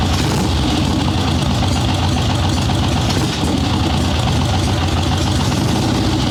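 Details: Swap-meet Harley Sportster Ironhead chopper with Mikuni VM38 carb, fresh plugs, cold wet day, started without choke after idle/starting circuit jetting: even, lumpy V-twin idle, steady without pops or misses; takes throttle much better, still slightly boggy at first.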